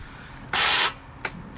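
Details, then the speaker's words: 2009 Arctic Cat Thundercat H2 1000 SE: a short starter whir stops dead after about a third of a second, then two dry clicks; the starter, stiff even when turned by hand, is seizing and locking up. "and you see that it locks itself back up. So that's obviously the starter's a problem."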